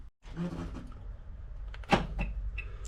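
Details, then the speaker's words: Vauxhall Movano van central locking, locked by key after bypassing the sliding-door ajar warning pins: one firm solid clunk with nothing after, locks now hold without auto-unlocking; normal central locking operation. "as you can hear there, it's locking. It's not automatically unlocking and it means I can now unlock it with the key as well."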